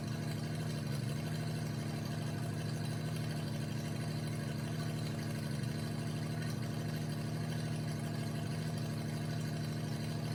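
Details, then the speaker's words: 1988 Jeep Comanche MJ 4x4 revived after sitting for years, with a cleaned fuel tank, new fuel pump and new fuel lines. Loud, raw, rumbling idle, even beat, no knocks. The engine sounds healthy but the exhaust leaks under the cab at the first bend, not at the header. "Uh the motor itself sounds really healthy, but the exhaust sounds terrible."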